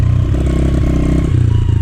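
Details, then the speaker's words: Sitting 2013 Honda CRF110F, low hours, after carb cleaning and air filter replacement: single-cylinder runs slightly better but still sputters and stumbles; old fuel is drained next. "All right, after cleaning the air filter, it seemed to run a tiny bit better. Still sputtering, not good enough for me."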